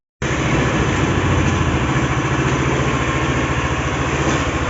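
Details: SYM Maxsym 400i scooter after fixing its no-start fault: engine catches and settles into a fairly steady idle with no stalling or hunting; runs healthy now.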